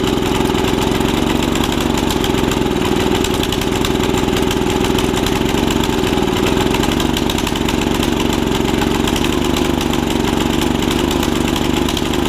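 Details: Snapper tiller with 5 hp Briggs & Stratton engine after stuck-valve fix and new carb diaphragm: small single-cylinder runs fast and steady with thick burbly beat; running rich, can't be leaned out enough, jet issue suspected.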